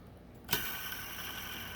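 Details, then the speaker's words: Original belt tensioner pulley from a 2010 Lincoln MKT with 265,000 miles, spun by hand in a vise: spins free with little play but gives a dry, gritty hiss and thin ring, stopping abruptly; bearing sounds dry. "but she definitely sounds dry and it comes to an abrupt stop"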